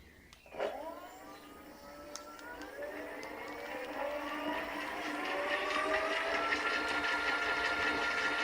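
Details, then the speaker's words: Giant Revive e-bike, Bafang front hub motor, 36V, 20-inch setting, wheel unloaded at full throttle on high setting after new controller and display: smooth whine rising steadily with no grinding or clicking; healthy, about 30 km/h expected. "well, that's quite allright that should give us about 30 kilometer an hour we'll test it with GPS later on"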